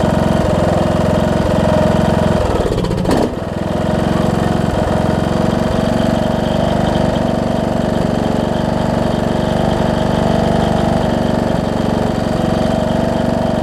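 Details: John Deere D110 mower engine test-running after a full rebuild with a new head gasket, done after a detached flywheel magnet was found: loud, steady chug at constant speed after a brief blip, no knocking or stumbling. Possible valve-cover oil leak, maybe burn-off. Normal running.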